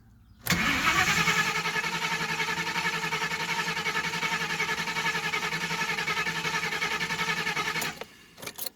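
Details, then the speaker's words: Engine cranking steadily about seven seconds with fuel pump heard running but never firing, fuel smell afterwards; lean-running code reported, owner suspects lean condition or intake plate, crank no start. "You can hear the pump turn on. Yeah, there's no fire whatsoever."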